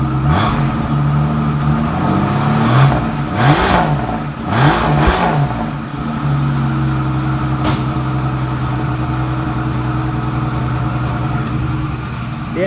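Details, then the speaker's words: 1967 Mustang on a cold day of about 57°F, first start after sitting a week, newly fitted with Pertronix electronic ignition replacing points: steady V8 rumble with quick throttle blips that rise and settle cleanly. Normal, healthy revving. "what it sounds like I mean I might put a different exhaust on it but runs good for not being running a week I tell you that"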